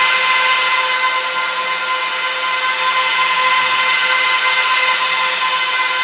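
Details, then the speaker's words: Trash-picked Dell PowerEdge 1750 server powering up to boot from CD: steady high airy whine of 14 fans at full speed with faint hum of three hard drives spinning up underneath; normal power-on. "so that's what that's what uh 14 fans sound like when they're on full speed uh [Applause] cranking you can hear those three hard dries spin"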